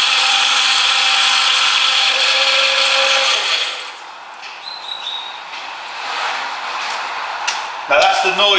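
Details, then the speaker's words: Power steering pump run completely empty, being bled by turning wheel lock to lock with engine running: high, strained whining groan shifting with wheel movement, then dropping away; pump drawing air, would damage pump if driven long. "you can hear which obviously doesn't sound particularly very nice but you you're okay now if you your drive like that for a long time making that noise you would damage your pump but obviously we're just bleeding it"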